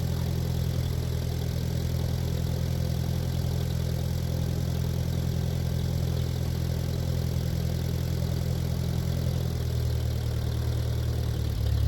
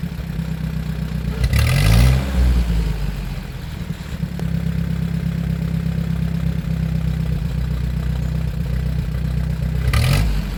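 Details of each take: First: 1947 Ford 8N tractor, just started on jumper cable, out of gear: low lumpy idle sagging and wavering as if about to die, then steadying slightly as the carb is adjusted with a screwdriver; rough idle, smooths out after carb adjustment. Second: 1947 Ford 8N tractor after adjustment, driving through the gears: steady low drone with clean pickup, no coughing or stumble; smooth running under load.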